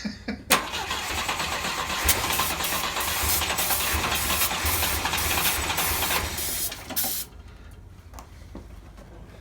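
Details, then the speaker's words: Volvo 122S Amazon sitting 23 years, fuel line and air cleaners off: brief cranking, then it catches and runs evenly for several seconds before shutting off; started right up, cranking and starting. "It started right up. That is crazy. I'm tickled to death."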